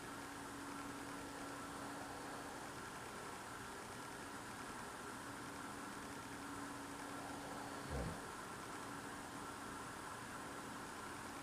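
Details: Loud unidentified idling noise outdoors at night, recorded through a frozen-shut window in freezing cold; the owner says it is not a generator. Steady drone, faint low hum under constant hiss, no rhythm change; source unknown.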